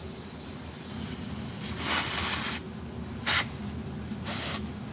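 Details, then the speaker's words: Tire valve core sticking open: a steady airy hiss comes in bursts over a quiet room as air escapes past the core. "Yep, just valve cord sticking. The valve cord sticking in this one."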